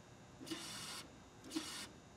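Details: 2004 Chevy Tahoe with the 5.3 flex-fuel engine (VIN Z), engine off during a fuel pressure test: two short bursts of high whirring hiss from the in-tank fuel pump, switched on by jumping its relay terminal, running normally.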